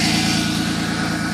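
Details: Ford Contour warming up after a battery replacement, following a dead battery from outdoor winter storage in snow: smooth, constant low hum with no misses, ticks or knocks, normal warm-up idle.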